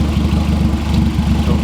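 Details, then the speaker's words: Turbo B18 EF Civic sedan on EMU Black tune, warm idle after a 20- to 30-minute test drive: steady low lumpy idle, even pulse, no misses or knocks; no leaks, not overheating, running good. "Still running good. Nothing leaking at all. Doesn't overheat or anything like that,"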